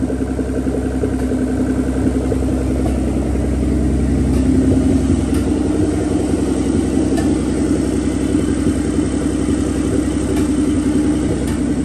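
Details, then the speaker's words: Nissan 300ZX Z32 twin turbo, no exhaust, no coolant, first start in a long time: a lumpy open-pipe idle and blips with an irregular stumble, more obvious when revved. Misfire, cause unconfirmed; the plugs are old except one random one. "But yeah, um I could for sure hear a miss. Uh like it has a little miss here and there."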